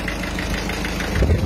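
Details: 2009 Citroën C4 Picasso 1.6 DV6 HDi diesel, injector seal leak case, after the cleaning operation: even diesel clatter at idle with steady rhythm and only a faint light chain tick; healthy and settled, nothing alarming.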